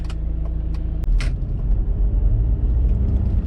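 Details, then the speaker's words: Audi A4 B7/Seat Exeo after inner tie rod replacement, driving over speed bumps: low road rumble with only soft thumps and no metallic front-end knocking. Suspension quiet, knock fixed. "so we're just coming up on them and the knocking noises have gone away but we'll see in a sec here we go let's see if we've sorted it and that's the quietest the car has ever been over bumped for a long time"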